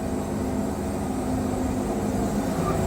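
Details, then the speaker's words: Wood-Mizer Super 70 sawmill with new drive belt run about 4-5 hours, resharpened 747 Turbo band, pushed almost wide open through the cut: engine labours and bogs, revs dropping steadily, with no slipping squeal; belt holding. "You can hear the motor bogging down before it slips, and I'm pushing it so that you can hear that."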